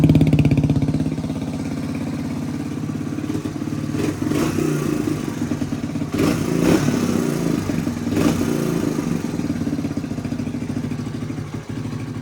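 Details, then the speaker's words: 1985 Suzuki DR250 single-cylinder, untouched survivor, run after revival, still warming up at idle with throttle blips: crisp even thump, really quiet, no cam chain or valve chatter heard; started easily and idles, running normally. "Engine is really quiet. I don't hear the cam chain at all."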